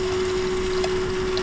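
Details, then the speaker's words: Holden VL Calais with Harrop 2300 supercharger install: electric coolant pump running after both separate coolant systems were filled, air not yet bled from the heat exchanger; steady hum with faint water movement, no rattles, working normally. "Can hear that pump."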